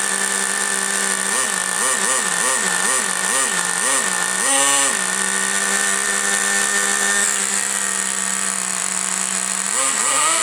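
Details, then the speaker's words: Rebuilt T-Maxx .15 nitro engine, which would not start until a missing copper gasket and loose glow plug were fixed: high-pitched steady running with clean rev blips that settle to idle; it runs properly, though the starter one-way bearing is faulty. "Well, it does run as a matter of fact. Excellent."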